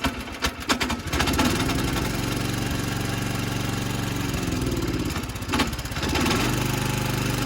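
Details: Montgomery Ward lawn tractor, 1960s–80s, single-cylinder engine with worn engine mounts, chugs unevenly with a loose knocking rattle at low revs and misfires. Owner suspects a cover moving in the worn mount and wants a new plug; unconfirmed.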